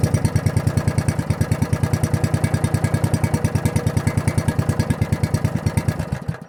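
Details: Log splitter single-cylinder engine with a newly installed carburetor and muffler, test run before tuning: even idle with a clean, steady firing beat, then cuts off. Runs normally.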